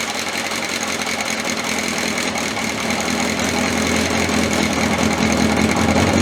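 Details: 1981/82 Honda CB750 K four-cylinder motorcycle restarted after battery refit, about two hours after the last run (sort of a cold start), fuel on; ticks over at a steady, even idle with a mild rise in revs, no oil leaks, nothing untoward.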